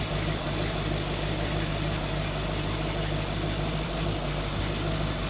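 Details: 23' Chaparral 2330 sport boat salvaged after engine fire, running on water hose after reinstalling with gaskets and belts, spitting water out: even deep V8 idle, steady low rumble, no knocks or misses; healthy.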